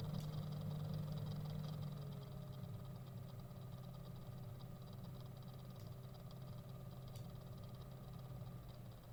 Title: Aqua Computer Flow sensor high flow NEXT - rattling noise